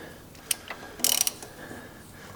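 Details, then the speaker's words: 2016 Mazda CX-3 Skyactiv engine hydrolocked from driving through water, turned by hand: irregular cracking and ratcheting clicks, binding in spurts; piston number one completely exploded, engine barely spins before sticking. "so after more or after closer inspection it's actually piston number one that's blow that's just completely exploded in there so I can I can barely spin the engine like it'll spin a little bit"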